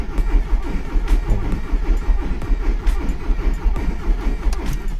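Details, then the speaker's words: VW Polo with Pierburg 2E carburetor, start attempt: slow labored cranking with uneven dragging beats and no catch; damaged starter motor binding, weak battery making it worse, jumper clamps then connected. "El motor arranque un poco dañado, bastante mal, así que no sé si va a arrancar por el motor arranque que tiene, que se queda el motor frenado."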